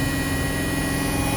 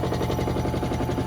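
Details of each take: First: Hotpoint WMXTF942P washing machine at high-speed spin after its dampers were greased; steady even hum with no knocking or thumping, a lot smoother with less vibration. Normal spin. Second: Hotpoint WMXTF942P washing machine at full-speed spin with a full load, covers off; fast heavy hammering thumps, about fourteen a second, tub vibrating a lot. Spin vibration from shock absorbers that are more than likely dry.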